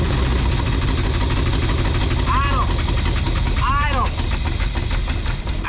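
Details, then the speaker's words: 1962 Buick Invicta wagon after 53 years in a salvage yard, running on temporary fuel supply and battery wiring: engine holds a fast steady speed and won't drop to idle; carburettor suspected. "I told it to idle, but it didn't it didn't listen, did it? Dang it."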